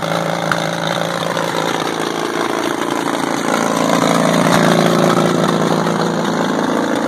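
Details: WWII Caterpillar RD4 bulldozer, first start in 20 years after retrieval from a canyon (runs but won't drive, clutches seized): old diesel chugs steadily at about four beats a second, even firing, no knocks; normal running.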